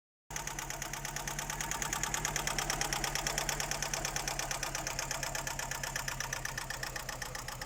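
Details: Daewoo Nexia at idle: rapid, even ticking knock holding a steady beat over a light idle; clear engine knock, source not pinned down.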